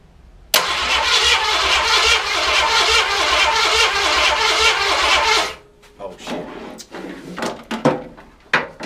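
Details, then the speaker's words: Project car just fitted with distributor, oil and plug wires, booster box on starter: steady cranking about five seconds with no firing; cranks but won't start because the ignition wasn't plugged in. "helps when you plug the ignition up I know I look like a idiot out here man a doofus messing up"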